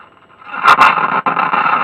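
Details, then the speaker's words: Battered early-to-mid 1980s Bush transistor radio, used on a building site: it powers on and tunes, but the audio scratches in crackly bursts and briefly cuts out. The volume control is scratchy and due for switch cleaner. "I might just give it a little shot of switch cleaner in, that's volume control, while we're in here. See if we can get that a little bit better, because that sounded pretty terrible."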